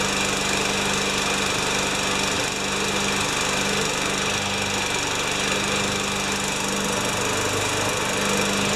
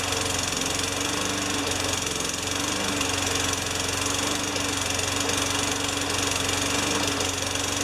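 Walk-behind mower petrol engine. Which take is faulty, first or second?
second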